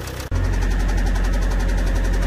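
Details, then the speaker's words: Car engine that suddenly developed noise and strong shaking under acceleration, then worsening knocking and a bad smell from the rear after more driving; all four injectors tested fine. Heavy, uneven knocking at idle over a shaky rumble, suspected bottom-end bearing. "يقول عندي عطل حصل بشكل مفاجئ، شعرت ضجيج في المحرك ورجه قويه عند التسارع"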